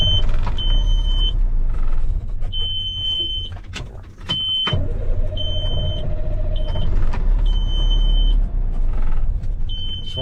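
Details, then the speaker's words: Semi truck diesel restarted after driving, with repeating warning chime: rumble sags and nearly dies near four seconds, then catches; stalling after start, owner suspects a wiring/electrical problem or low fuel despite gauge over a quarter tank. "Wants to shut right off."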